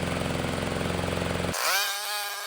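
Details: Toro mower, Briggs & Stratton engine 104M02-0010-F1, after reed valve replacement stopped oil blowing through the air filter: single-cylinder steady even buzz before cutting off; no oil leak now, though owner suspects a carburetor issue.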